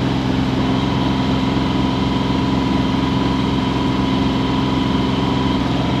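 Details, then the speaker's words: Yanmar diesel on a sailboat at 2500 rpm, making 6.7 knots through the water and 4.7 over ground against the current: a steady, even drone with no misses or knocks; normal running under load. "I'm impressed this little motor can do 6.7 in the water at 2500 rpm"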